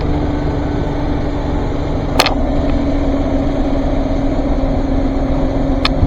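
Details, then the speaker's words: 2020 Chevrolet Express 2500 van, 4.3 V6, automatic RWD, 78,732 miles: fires up and runs a second, then idles rough and uneven with a sagging throb as the idle drops and the engine bogs; cause not stated. "Then she starts to bog down. There we go. The idle starts to drop."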